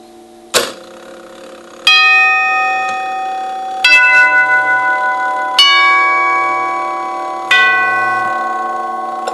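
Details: Circa 1936 NuTone Series 1 Trinity 4-note clockwork door chime during rebuild, retested: clear strikes every two seconds or so, ringing cleanly with less flutter than before; may be adjusted further by moving tubes.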